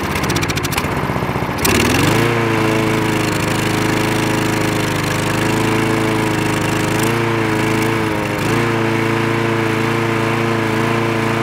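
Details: Craftsman lawn mower with the spark plug wire reconnected: the small engine holds a steady buzzing run with even pitch and only a brief dip, sounding healthy and smooth.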